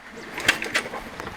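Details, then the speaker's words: Honda EU10i (EU1000i-like) inverter generator that won't start, spark plug removed, finger over plug hole while cranking: soft regular puffs about every quarter second, suction felt; good compression, healthy. "It's making a nice puff of air, and I can feel it trying to suck on my finger. So we know it's got compression."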